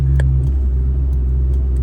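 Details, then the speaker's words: Suzuki Alto Works at idle: sharp irregular pops from the dashboard each time the turn signal is used, radio seems to restart, dim cluster; owner suspects a fuse or electrical fault, not traced. "you hear that oh it went away but when I put my signals on well hopefully you guys hear that I think my radio's restarting too yeah every time I put my signal on that's happening"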